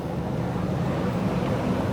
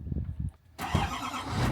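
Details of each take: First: Chevrolet Silverado 2500HD ZR2 Duramax diesel, rebuilt after a crash, on a test drive to warm the engine: steady, even low diesel drone with road and wind rush, quiet but clearly diesel, no knocks; shifting fine, drives straight, normal. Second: Crash-damaged Chevrolet 2500HD ZR2 Duramax diesel, first start after repair parts and fluids were added: a brief pause, then the engine catches with a rough scraping roar from the engine bay; the owner believes the fan is misseated in its shroud and hitting something.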